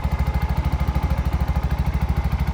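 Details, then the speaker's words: Bajaj BS6 after timing chain repair: even steady idle thump with no ticking or rattle; timing chain and top end quiet, smooth and silent, much different from before the repair. "Smooth ಆಯಿತು ಗಾಡಿ. Silent ಆಗಿದೆ. Sound ಕೇಳಿಸ್ಕೊಬೋದು. ಫಸ್ಟಿಗೆ ಇವಾಗೆ compare ಮಾಡಿದ್ರೆ ತುಂಬ ವ್ಯತ್ಯಾಸ ಇದೆ."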